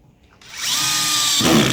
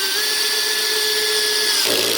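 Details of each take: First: Power drill with Phillips bit, clutch set around 5–6, driving a longer screw: steady whine, then a sudden loud rattling burst as the bit cams out of the screw head, which can strip the screw. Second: Drill, clutch set about 9–10, driving a screw flush into wood: motor whirs, then fast ratcheting click as the screw seats; clutch slipping at its setting as intended, normal.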